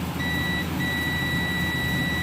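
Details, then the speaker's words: Samsung Guru FM Plus (SM-B110E) keypad phone, full short, won't turn on: steady continuity beep across both ends of a board capacitor, one brief break, showing the shorted capacitor causes the full short; it is to be removed. "Beep sound வருது, கேட்குதுங்களா? So இந்த capacity எனக்கு என்ன ஆகுது அப்படின்னா problem. So அப்போ அந்த capacity short ஆனால மொபைல் ஃபோன் ஃபுல் ஷார்ட்டில் இருக்குது."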